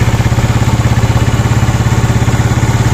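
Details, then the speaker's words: Yamaha Mio Sporty scooter, single cylinder, rebuilt with a 54mm touring set and ported intake, at idle after the piston was swapped because a higher-compression setup knocked: even steady thump, no knock, noise gone. "Yan, mas panatag na ako dito ngayon. Wala nang ingay"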